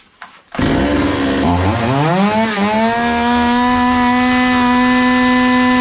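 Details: Zomax 5020 two-stroke chainsaw after carburetor cleaning and mixture screws closed then reopened about 3 and 2.5 turns; fires, climbs unevenly briefly, then settles into a clean steady idle, running normally.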